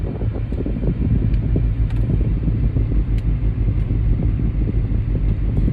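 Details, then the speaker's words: 2008 Mercedes-Benz CL550 (W216) while cruising: deep steady droning hum over road rumble whose tone changes when steering left; wheel bearing suspected, not confirmed. "yeah you can hear that when i turn the steering wheel left the tone changes so it probably is the wheelbarrow"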